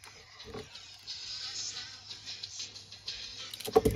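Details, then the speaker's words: Sony Walkman WM-FX45 cassette player: the music plays dragged, low and wavering, struggling in both directions. Playback is slow, likely from a very loose drive belt; the motor will also be checked. "so you can hear it like that really it's really going slowly so that's likely going to be a really loose belt"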